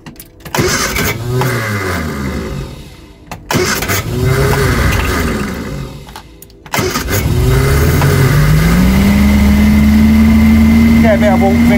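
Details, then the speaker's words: Reliant SuperVan engine cold-started after new oil; catches and dies twice, then holds a steady fast idle, much less tappet noise than before, reluctant when cold; normal cold idle. "I've got the old van, super van running again, as you can see. Ticking over nicely now."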